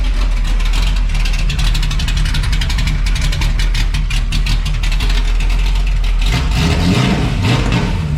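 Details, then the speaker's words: Camaro V8 first fire-up after fitting new American Racing headers, X-pipe and new Powermaster starter; starter engages and spins well, then deep even idle burble with crisp throttle blips rising and falling cleanly; sounds way better, healthy. "So we'll hit the gas a couple times and see what this thing sounds like with the new headers and X pipe. Should fire now. Sounds way better. Way better."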